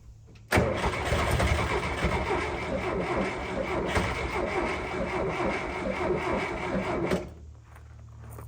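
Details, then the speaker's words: Eagle SS 1980s gullwing kit car, fresh ignition system just fitted: after an initial splutter, long steady quick even cranking never catches into a run; no start because the car was completely out of fuel. "Now, after that initial splutter, it wasn't firing at all. After some fiddling, I realized we were completely out of fuel."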